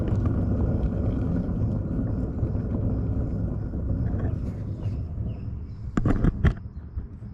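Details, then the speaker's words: Trailer hub spun by hand, jacked up: gritty low rumble then loose clunks as it slows, lots of play in the bearing, hub missing its outer washer; bad wheel bearing. "that's the sound of a bad wheel bearing so I'm going to Time Lapse this side for you guys"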